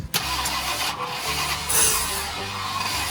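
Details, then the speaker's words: 1968 Ford Country Sedan (360 or 390 V8) long sitting, prior bad intake work: sharp pop then rough uneven cranking and firing, sparks shot out the carb top; carburetor backfire while cranking from a loose passenger-side pushrod. "oh stop dude it shot Sparks out the top again"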